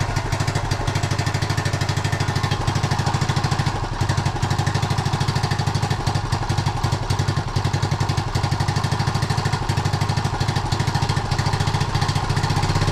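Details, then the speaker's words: 1976 Honda Z50J1 Monkey warming up with recently fitted new carb possibly untuned: small single thumps unevenly at idle, firing pulses stumbling and uneven in strength; rough idle, owner suspects blocked carb jet. "Try and get it to idle first. If it will. Sounds awful."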